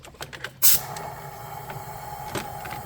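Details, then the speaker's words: High-mileage BMW E36 M3, S52 engine, leakdown test on cylinders 4 and 5, engine not running: sharp burst as air goes in, then steady airy hiss with faint thin tone, like a current; suspected head gasket failure or warped head. "Well guys, we found our issue. I'm gonna call that a warped head probably."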